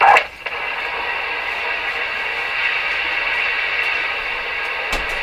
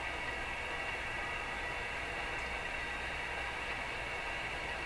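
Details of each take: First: Rogers 11RA651 shortwave radio with external antenna reconnected: loud steady hiss and crackle heard even with volume at minimum, then drops away; noisy capacitors. Crackling capacitors. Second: Rogers 11RA651 shortwave radio after more capacitors replaced, full volume on external antenna: smooth even background hiss with no crackles or pops; crashing, clicky noises appear gone.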